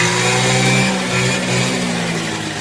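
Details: Peugeot Speedfight two-stroke moped just kickstarted: steady, even idle with a clean, constant buzz and no stumbling or misfire; it's running healthy.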